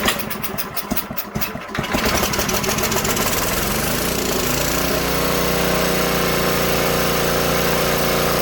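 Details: Old Tecumseh-powered generator revived after years outdoors in rain and snow; rough sputtering catches then smooth even drone; only needs a little carb tuning once warm; normal running.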